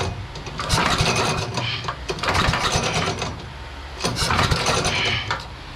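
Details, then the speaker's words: Devilbiss Powerback 5,250 W generator with Tecumseh engine, won't start: three slow pull-start bursts, engine turns over but never fires; spark checker shows absolutely no spark from failed ignition coil, fuel flowing from petcock. "Absolutely no spark at all."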